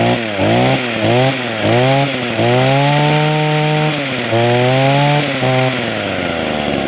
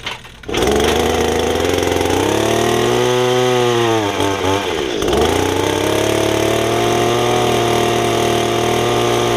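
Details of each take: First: Echo hedge trimmer small two-stroke after Walbro carburetor rebuild, new primer bulb and fuel lines: blips up and down, picks up cleanly and holds a steady high rev; running properly, though owner says it could run better but will do the job. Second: Estate-sale Echo two-stroke hedge trimmer, before its Walbro carburetor rebuild, with brittle fuel lines; good compression: runs rough and hunts, revs sag and nearly die then pick back up; poor running, unsteady idle, owner thinks it needs carb cleaning.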